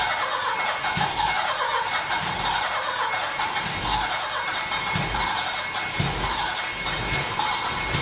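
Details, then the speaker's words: Saab 900 Classic, first start after years of sitting, with a rebuilt Zenith/Stromberg CD175 carburetor and a cleaned fuel tank: the engine runs unevenly with lumpy low thumps about once a second under a hissy roar. It is smoky, and the owner suspects the timing. "well that was a bit of a smoky adventure i think something in the timing might be wrong i'm going to see if i can find something"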